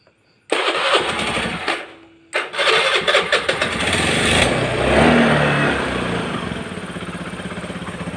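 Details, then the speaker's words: Carbureted Honda Beat scooter that would not run from lost ignition: after the faulty yellow and blue-yellow coil wires were traced and the old spark plug refitted, a brief crank and stumble, then it catches, revs and settles into a steady, even idle. "Dan syukurlah, sepertinya sudah dimulai, teman-teman ."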